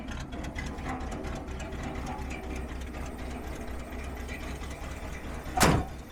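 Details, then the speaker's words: 1968 Ford F-100, likely 360 V8, revived after 20+ years in a salvage yard: low steady growl under the idle; noise stopped with the belt off, so it is either the alternator or the water pump. "decide whether the bad noise we heard at the beginning of the video was coming from the alternator or the water pump we know it's one or the other because when we took the belt off it stopped"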